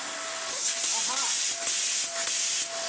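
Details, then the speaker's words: Vax Air Pet U88-MA-SE upright vacuum, long stored, before refurbishment, with bin refitted properly: strong steady airy rush with faint motor tone, easing briefly as the head moves; good suction. "Good suction."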